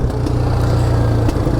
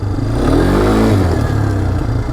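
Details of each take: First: 2022 Polaris Phoenix 200 quad, which has had hard starting, poor idle and popping since new. On throttle the rough single-cylinder engine coughs sharp pops back through the intake and stalls when the throttle is rolled on quickly: intake backfire. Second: 2022 Polaris Phoenix 200 quad after fixing a manifold air leak thought to cause a lean mixture, rough running and hard starting; revs climb cleanly with a steady rising pitch, no stumble or misfire; smooth normal acceleration, slight backfiring remains.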